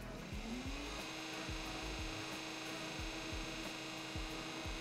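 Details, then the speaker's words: 55-pound-thrust trolling motor, foot pedal at full pressure, pre-season check: smooth hum rising in pitch then steady at full speed, no grinding; steers left and right, turns better left than right, running perfectly fine. Normal running. "Working perfectly. Left, right. Always seems to turn better left than it does right. It's running perfectly fine."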